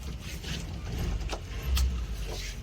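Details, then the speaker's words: Suzuki Samurai (SJ413/SJ410), cold on a cooler day near 100°F; low idle rumble with uneven surges and dips; rough running when cold that improves once slightly warm, owner unsure whether the choke is the cause. "okay I think it's a few degrees cooler today so that's nice this thing hasn't been wanting to run real great cold"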